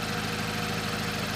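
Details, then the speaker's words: Salvage Subaru BRZ at low idle with a fast, even metallic buzzing rattle riding on the engine pulses; suspected to be a large exhaust leak or something rubbing underneath, not confirmed. "When the RPM gets real low right now, I can hear whatever this rattle is. I can hear it right now."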